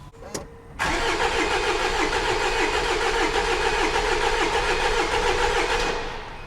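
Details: 2016 Jaguar XE Ingenium diesel, crank no start; starter spins at steady healthy rate for about five seconds without firing; fuel pressure reached 40,000 kPa and injectors firing, cause traced to mechanical cam/crank timing fault.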